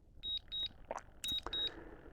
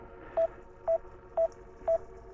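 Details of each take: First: DJI Mini 5 Pro drone returning home after a waypoint mission: pairs of short high beeps about every half second, with ticking over a faint motor hum. Normal return-to-home warning beeps. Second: DJI Mini 5 Pro controller at 0 degrees during a waypoint mission landing, drone battery at 40%: six even mid-pitched beeps, about two per second. Warning alarm that won't clear, cause unknown.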